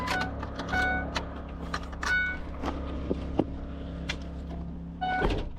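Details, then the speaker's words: 2008 Ford E-350 with no crank, no PCM communication, battery at 7 volts, maintainer connected, key on, engine off: low steady hum with scattered clicks and whirs; unknown electrical fault noise. "Alright, well, it's still making that noise."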